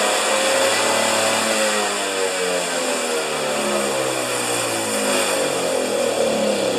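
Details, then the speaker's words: Husqvarna snow thrower started on choke after carburetor reinstalled during governor repair: revs unevenly, pitch sagging and hunting, running rough and stumbling; owner thinks it's getting too much fuel. "well that's really disappointing what is happening it's getting too much fuel man this has been a challenge you guys"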